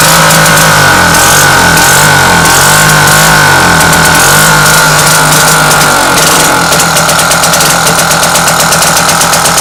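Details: British Seagull two-stroke outboard: a rough idle that hunts, its buzzing beat stumbling and surging; steady running needs a very delicate points adjustment that the owner doubts is right.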